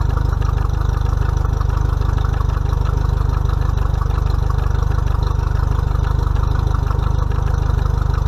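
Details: Mercury 50 hp four-stroke outboard on a 2020 Bass Tracker, first break-in service, run to circulate oil before checking level: smooth even low thrum at idle, steady firing beat, no knocks or rattles; healthy.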